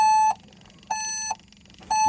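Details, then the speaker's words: LS MR232 HST tractor no start: key turned with shuttle and pedals in neutral, steady high half-second warning beeps, no cranking; shuttle neutral warning despite neutral position, clicking heard at shuttle switch. "If I try to actually turn the key, F&R shuttle at neutral position. You can see pedals are neutral."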